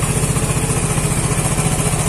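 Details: Vespa Matic scooter that suddenly died and would not start, now running after repair, battery reading 14.6 V with the engine on: quick, even putter at idle with a steady pulse and no misses; smooth, healthy idle.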